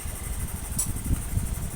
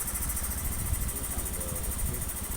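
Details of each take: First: First-generation Honda Beat FI scooter that won't start when cold, idling with a problem injector: soft, slightly uneven low putter with faint fan hiss; injector flow reading 2.9 rising to 3.2, meaning a faulty fuel injector. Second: First-generation Honda Beat FI scooter that was hard to start and stalled when cold, after fitting a good injector: injector reads 2.6 ms at idle, the standard value; steady, even low idle with no stumble or hunting; healthy.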